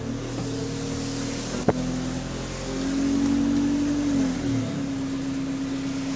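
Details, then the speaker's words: GAL SEN14 bus diesel on route 386 idling: the air compressor runs louder until the computer-controlled valve releases excess air with a sharp psst, then the hum quietens; the valve closes when air runs low and the cycle repeats, which is normal. "The valve was released there, and then when the computer realizes that there's too little air, the valve will close up again, and then you'll hear the compressor louder, and then the same cycle continues."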